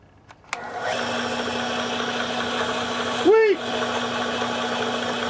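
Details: Small benchtop import drill press after replacing its plastic pulleys: motor spins up and settles to a steady, even hum with no knocking or rubbing; running smoothly after repair.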